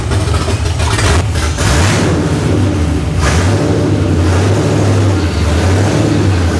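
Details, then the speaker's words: Cammed 1999 Ford Mustang GT V8 on first start after rebuild, running open headers, not yet tuned; deep, loud, lumpy burble with a couple of throttle blips, then steady choppy idle; sounds pretty good; normal idle, open headers. "it runs and it actually sounds pretty good it's a little loud obviously with open headers"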